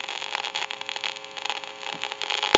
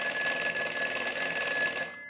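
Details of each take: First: Northern Electric Galion rotary desk telephone, initial checkout, listening to handset after dial tone removed: steady staticky hissing crackle with sharp irregular pops, worsening over time; worn, noisy carbon granule transmitter. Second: Northern Electric Galion rotary desk telephone after repair, ringer driven by an analyzer ring cycle during final checkout: fast, even bell clatter stopping cleanly, ringing normally.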